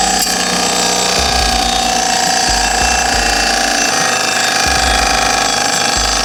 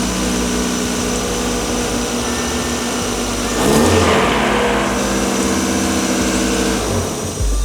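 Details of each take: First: Rebuilt 30-year-old Mazda Miata engine heard by stethoscope at the timing cover, with a brand-new water pump: a fast, irregular chattering scrape with whirring over the running engine. Suspected worn water pump or timing belt idler bearing; unconfirmed. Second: Roughly 30-year-old Mazda Miata engine after rebuild, run briefly with the timing cover off after a new timing component kit was fitted; steady four-cylinder idle with a brief rev, earlier timing-end noise gone. Normal idle after repair.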